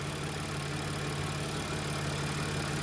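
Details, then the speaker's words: Audi SQ5 3L supercharged engine idling smooth and steady with no ticking or rattle. This follows a full timing job after a P0018 code and limp mode: broken tensioners and guides replaced with new chains and tensioners, engine mounts replaced, covers resealed and the oil pickup tube cleaned of debris. "but it's idling very smooth. And before it had a different note to it. I could tell this car idling right now with it me the timing actually working. It actually sounds like a 3 L supercharged engine again."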